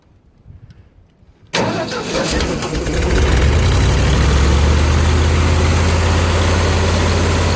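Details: 302 V8 driving an air compressor, started outdoors in heavy wind: silence, then it catches straight away and settles into a steady, even low rumble; starts and runs cleanly.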